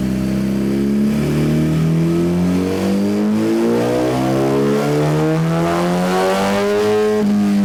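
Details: 2017 Suzuki GSX-R1000 sportbike, ride-by-wire, after ECU flash adding 4.4 degrees ignition timing; test ride under varying load listening for knock, also checked with stethoscope. Revs climb cleanly and evenly, smooth rising note, no pinging or rattle; no detonation under load.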